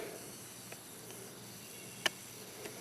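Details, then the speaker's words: Kubota L3301 HST diesel tractor tire that went flat overnight: a faint, steady hiss with soft clicks as air escapes through a pinhole in the middle of the inner steel rim, with no bubbles at the bead. "now this got me confused though because that's coming out on the middle part of the rim you can hear it"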